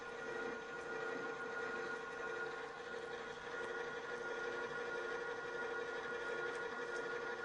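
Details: Drill press after engaging the transmission lever into the left position, drill speed very different: a steady, even hum of the drill cutting with no rhythmic chatter or judder; the chatter is eliminated.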